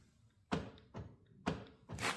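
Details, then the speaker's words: Rover 75 door locks: with all doors locked, unlocking gives four muffled thunks from inside the doors about half a second apart; the actuators can be heard firing but some lock pins stay down. Actuator fails to unlock. "I mean you can hear it in the door but just not Yeah."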